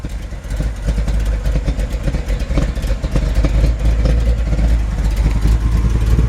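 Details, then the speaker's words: 1964 Chevrolet C10 idling while air ride drops the left side and raises the right: a slightly uneven, loping beat with the odd missed pulse; faint sputter, possibly fuel affected by the tilt. "keep in mind turning it like that while it's running may affect the the fuel and I can hear it sputtering just a little bit"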